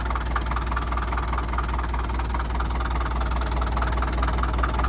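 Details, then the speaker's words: 1947 International Harvester TD-9 gas-start diesel crawler with American Bosch injection, just revived: slow, even, heavy knocking at idle, about two beats a second over a deep rumble; normal fuel knock typical of this injection system. "Running good. You'll notice it has a real heavy fuel knock. That's the American Bosch fuel systems are notorious for that."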